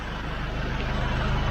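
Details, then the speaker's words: SsangYong Rexton Sports Khan diesel at idle: a loud, steady rush of air, like whistling, after a bang on the highway and lost power above 2000 rpm. The owner feared the turbo, but the intake hose had come off. "지금 아이들링 상태에서도 약간 바람 빠지는 소리, 휘파람 소리 뭐 비슷하게 나고 있어요. 들리실까요? 바람 빠진 소리 엄청나죠?"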